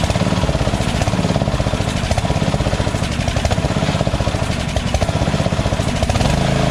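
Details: Lawn tractor engine, just taken partly off choke: speed rises and sags about every second instead of holding steady (surging); the carburetor is still suspected, and the intake gasket was checked and found good.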